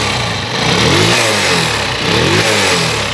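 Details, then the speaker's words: Motorcycle engine just after a rocker/valve clearance adjustment: two crisp throttle blips, revs climb cleanly and drop straight back to a steady idle without stumbling; healthy throttle response. "momento que tú aceleras la moto tiene que absorber esa aceleración lo aceleras tiene que reaccionar según la aceleración tiene que ir fuerte"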